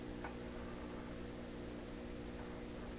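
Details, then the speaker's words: 1928 RCA Victor Model 28V TRF radio, working but garbled and insensitive, signal generator near 1400: steady mains hum and flat hiss with no station; hum inherent in the radio, set has almost no sensitivity. "That I think is hum inherent in the radio, as opposed to the garbly thing that..."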